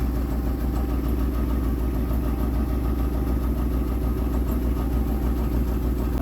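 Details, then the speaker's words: 2003 Dodge Caravan cargo fluttering with white smoke and raw gas dripping from tailpipe, injector code, new injectors no help; lumpy uneven idle with stumbling exhaust puffs about three per second, misfire from damaged injector harness. "it was running great all of a sudden it started throwing white smoke smelling like gas and just fluttering we could barely even um drive it actually"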